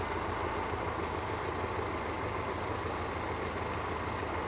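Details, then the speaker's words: 1982 Toyota 22R with a performance distributor and Weber 32/36 carburetor, mixture set for about 16 in. vacuum: a smooth, even idle sitting near 825 rpm instead of 750. Idle speed is too high; the throttle stop screw needs backing out. "We're actually now, as you guys saw before, we were just under 750. Now it's wanting to idle about 825. So we're going to back our throttle stop screw out just a little bit more."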